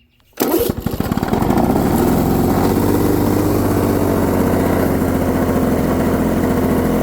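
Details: Lawn-Boy 7268 two-stroke mower, first cold start after cleaning, original carb parts, new spark plug, oil in cylinder, needle unadjusted; catches within a pull, stutters a second, then smooth steady buzz; healthy start, smoke cloud from oil.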